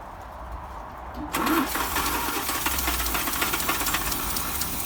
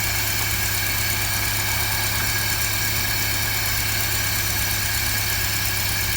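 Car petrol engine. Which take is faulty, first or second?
first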